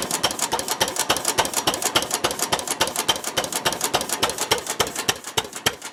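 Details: Ruston Hornsby model PR (c.1926), horizontal single-cylinder petrol/paraffin engine running on petrol, apparently first start in 5–6 years after the mixture was leaned from too rich: a crisp, evenly spaced ticking beat with no missed strokes, a normal healthy idle.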